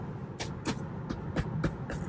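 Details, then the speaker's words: Rented 2021 Tesla Model 3 Long Range Dual Motor, under 9,000 miles, driving: quiet cabin with sharp uneven clicks and knocks, about six in two seconds over small bumps; loose trim rattling, driver suspects rear driver's side door panel. "They're just a bunch of things that like just sounds like they're held on with zip ties. Well, not even zip ties, because then they would be quiet."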